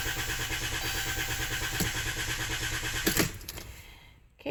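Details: Chrysler Town & Country van, hard to start since dealer worked on it for something else: starter churns in a fast, even cranking rhythm for about three seconds, then a clunk and it dies without catching; hard starting.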